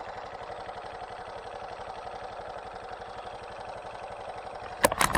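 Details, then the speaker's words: Honda Super Cub JA07 idling with a sudden new engine noise: fast, even light tapping that never lets up over a steady idle; the owner says it never made this sound before, cause not yet found. "そんなカタカタ音がせんかったような気がするんよね。やっぱりこんな音しよらんかった。"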